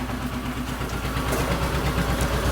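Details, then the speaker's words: Proton 1.3 GL off the road for a few years, being warmed up with light throttle blips: uneven, lumpy idle with an irregular low thump, chugging like a tractor. Rough idle, cause not pinned down. "Does still sound like a tractor."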